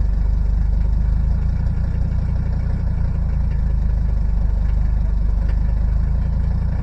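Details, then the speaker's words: Diesel at cold idle on a cold Houston-area morning with lumpy, uneven beat, three to four pulses a second; one cylinder not hitting, dropping in and out until it catches; glow plugs tested equal with an amp meter. "yeah you can hear that one cylinder but probably yeah there's just one cylinder that's not hitting this"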